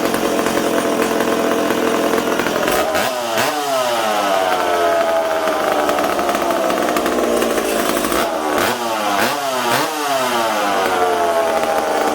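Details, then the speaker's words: McCulloch Super Pro 70 two-stroke chainsaw on the bench, 20 °C shop, air filter on, previously hard to tune; screams then sags and surges; spraying near the intake boot made it stumble, owner suspects an intake air leak. "well i think we potentially have an intake leak did you hear it stumbling there"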